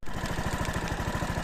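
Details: 2016 Yamaha XMAX 250 scooter idling after an exhaust swap, radiator fan running: steady, even putter at roughly thirteen beats a second with no misses or rattles, idling cleanly.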